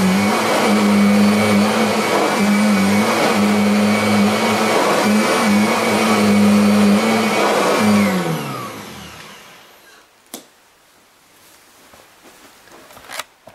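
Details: Kirby vacuum during 10-pass salt-pickup test: steady, even high-pitched motor whine with smooth hum for eight seconds, then a clean spin-down; healthy motor.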